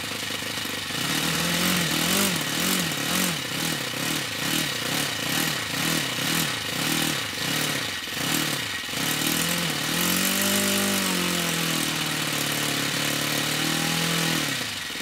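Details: OS FS-60 four-stroke model aeroplane engine, part-filled tank, running after new crankshaft main bearings fitted: revs blip up and down quickly, then hold a steady, clean higher speed; normal running.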